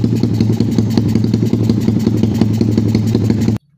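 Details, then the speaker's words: Motorcycle with PWK carburettor on an aggressive racing setting, warming up: fast, uneven helicopter-like chopping misfire (brebet), noisy even at slow riding; unsuitable for daily use. "Kenapa karena kalian dengar aja suaranya kayak gini guys waktu ngangetin motor kayak gini kalau kebuka soalnya kayak gini"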